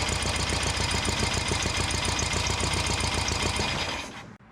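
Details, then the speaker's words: Air-cooled VW Beetle engine, freshly rebuilt, first start at idle: quick, even internal knock about three or four per second until shutdown; owner calls it his own assembly mistake, cause unconfirmed (bearings, measurements or bad parts suspected). "there's a video of the engine running and it ran quite well, but it knocked. There was a knock and it was very discouraging and it was 100% my fault."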